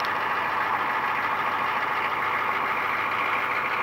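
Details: 1995 GMC 6.5L turbo diesel with a new used PMD, idling after a cold start following a long sit, about 3,000 miles overdue for an oil change: even diesel clatter with no misses, hunting or knocks; smooth normal idle.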